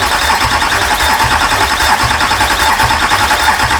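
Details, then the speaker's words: Imported US Duramax diesel swapped into a Patrol, first start attempt: starter churns steadily with rhythmic pulses but never fires; crank no start. "oh yeah we started to get some uh do you want to let the starter cool down a bit or should be right i'll try again"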